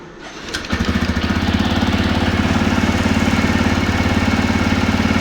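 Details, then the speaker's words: TVS Raider motorcycle after the timing chain was inspected and the timing reset: the engine catches quickly and settles into a steady, even idle thump with no ticking or rattle. The sound is now fully OK. "Sound सुन सकते हो आप लोग। Sound बिल्कुल okay है।"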